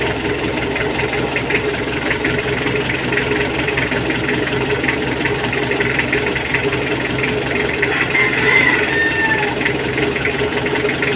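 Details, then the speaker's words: Mitsubishi L300 diesel that won't start on the key but starts when pushed. A hard, loud clatter at idle with heavy smoke, caused by over-advanced injection timing. Fix: loosen the four 12mm bolts and retard the injection pump slightly. "ang gagawin natin is kitan na lang natin yon para mawala yung fuel L ang gagawin niyan is iatras natin konti yung injection pump"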